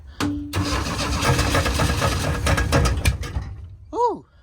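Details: 1985 Chevrolet Astro cargo van, four-cylinder, four-speed manual, sitting 15 years and last registered 2011, first start with fuel pump plugged in, briefly caught fire: uneven cranking that stumbles and catches a few seconds before dying; hard start after storage.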